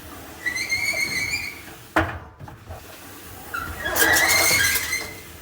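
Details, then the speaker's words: Whirlpool Duet front-load dryer GW9250SU0, drum turned slowly by hand: high thin squeal rising and fading; could be a drum roller wheel, idler pulley or belt, later cleaned; cause suspected, not confirmed. "all right ladies and gents we got this world poool front low dryer see what the model number is GW 9250 Su zero and the complaint is is that it is squeaking really bad so we'll see if we can hear it I'm just going to turn the drum with my"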